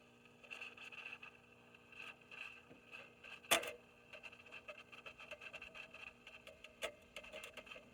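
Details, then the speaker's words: Recapped Heathkit T-3 tube signal tracer: irregular crackles and sharp pops over faint hum from a noisy carbon composition resistor; replacing it removed the crackling. "very noisy so i'm going to change that out and we'll see what we got with that"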